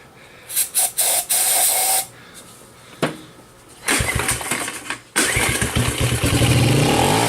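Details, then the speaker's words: Kawasaki KLT 110 on a stand, carburetor slide found stuck and gummed; after several pulls the single cylinder pops and fires briefly on gas primed down the carb, then dies, running rich. A big puff of black smoke and a carboned plug suggest it may smoke. "what do you think guys I think she's a runner"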